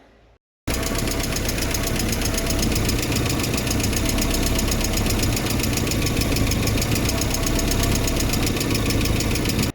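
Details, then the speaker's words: MK1 Ford Fiesta with Zetec engine conversion: steady idle with a light fast tick about three to four per second, owner suspects valve clearances (under camshaft, above valves), to be measured and adjusted if needed. "so the next thing that's been online me and everybody else that listens to this car is a ticking noise and I think it's coming from the valves"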